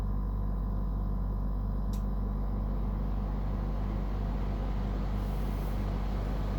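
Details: Brand-new Dometic Freshjet 3200 air conditioner at startup and running: loud, steady low hum with deep droning undertone; compressor and unit far noisier than normal operation, cause unknown.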